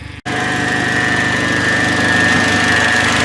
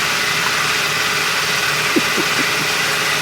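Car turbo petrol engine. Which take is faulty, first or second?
first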